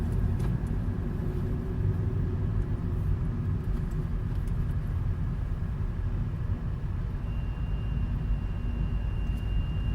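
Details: Opel Astra K 1.6T driving, warmed up with aircon on maintaining cabin temperature; a thin high squeal comes in over the driving rumble, rpm-dependent, mostly at part throttle between 1800-2500 rpm and when accelerating from idle.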